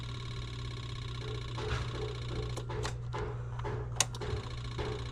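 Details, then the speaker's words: 1991 Yamaha Venture Royale motorcycle being revived: key on, neutral light lit, fast even electric ticking buzz over a low hum as the fuel pump primes and builds pressure to the carbs, a normal prime. "turn the fuel pump on a few times see if I can get pressure up I hope you guys can hear the fuel pump so I got neutral light yeah well fuel pump is making pressure that's promising"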